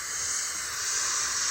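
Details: Off-road rig with the compressor on and the front air locker engaged: steady, hissy rush of escaping air coming out of the vent. The leak was from inside the carrier, not the ring.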